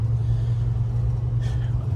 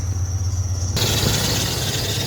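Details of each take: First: 1994 Ford F-150 driving after loose crank pulley and alternator bracket were tightened: smooth low engine drone, no belt chirp or squeal anymore after earlier nasty squeal; normal running, owner unsure why the belt noise stopped. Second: 1994 Ford F-150 with crank pulley and alternator bracket found loose, tightened just enough to drive: at idle a loud, steady high-pitched shriek cuts in abruptly; aggressive serpentine belt squeal.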